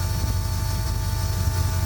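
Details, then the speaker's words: LS-swapped Ford Galaxie idling in the cabin while coming up to temperature: a constant high, thin whine over the low engine rumble from an excessively loud electric fuel pump, the loudest thing in the car. "I am very annoyed with how loud that fuel pump is. It's the loudest thing in the car."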